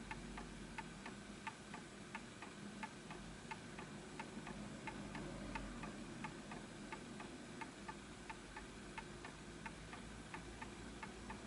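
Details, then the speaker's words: Antique Enfield Westminster-chime mantle clock, fully wound, during pendulum adjustment: steady ticking around 88 per minute with slightly uneven tick-tock spacing; still a little out of beat, likely needs a nudge to the right. "Just a little bit off. So I believe it probably just needs a nudge a little bit to the right."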